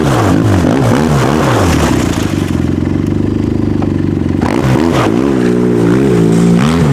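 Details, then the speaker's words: 2010 Arctic Cat Z1 Turbo snowmobile on new aftermarket muffler replacing the overheating OEM unit; strong low exhaust note rising and falling with throttle blips, then steady hold, no knocks or rattles; normal revving. "I think it sounds pretty badass like I can't wait to this weekend"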